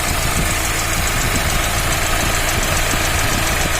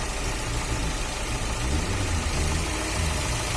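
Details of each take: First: Fiat Uno 1.4 Evo Fire, warm with fan running, head previously removed: steady tapping knock about three to four per second over the engine, rising with revs, then easing at idle. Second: Fiat Uno 1.4 Evo Fire after cylinder head replacement, idling: low, even idle with steady rhythm and no knocking or ticking; earlier abnormal engine noise resolved.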